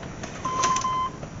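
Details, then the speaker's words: Chevy/GMC truck with ignition on after fuel pump and fuel filter replacement, listening for pump priming: single steady electronic tone for about half a second, the open-door warning buzzer. "that annoying buzzer I hate door buzzers it's like I don't know the doors open right"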